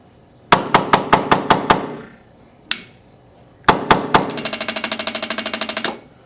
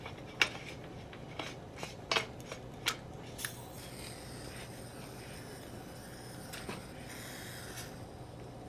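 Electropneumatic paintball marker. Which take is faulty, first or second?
first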